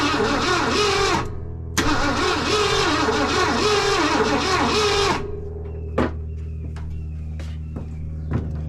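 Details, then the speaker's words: Wrecked 1974 Ford F100, parked for several years, first start attempt with fuel poured into carb bowl through vent tubes: slow, labored, uneven dragging cranking at about three and a half strokes a second; engine sounds unhealthy. "Alright, obviously it doesn't sound overly healthy, so we'll just see what happens here."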